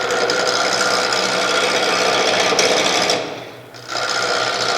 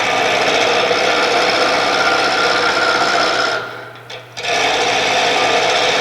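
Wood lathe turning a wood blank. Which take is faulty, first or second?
first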